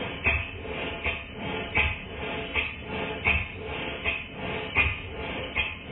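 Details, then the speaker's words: Model steam engine for a Stewart 504 boiler plant, after valve timing changed to admit steam just before bottom dead center; soft, evenly spaced exhaust beats, roughly eighty a minute, no stumbles, more powerful and faster: healthy even running. "it sounds entirely different it's much more powerful it runs faster and altogether much better and as you can hear in this clip when i stop speaking the beats are very even"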